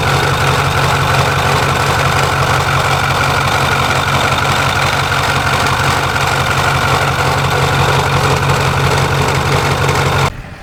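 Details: Truck after pulley replacement and tensioner release, idling: loud steady rough whir and hum from front accessory drive, present since pulleys changed; swap didn't fix it, AC compressor and belts to be checked.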